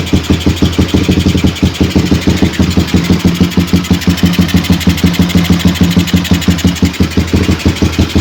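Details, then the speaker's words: Suzuki Satria FU single on its standard CDI, long unused, with a shifted magnet/pickup suspected: a choppy, uneven putt-putt at idle with weak or missing firing pulses. Rough running; owner suspects long disuse, cause unconfirmed. "cuma saya rada heran itu pakai si Day standarnya ini itu kenapa Agak putus-putus ya suaranya nggak normal karena ini udah lama nggak dipakai ya"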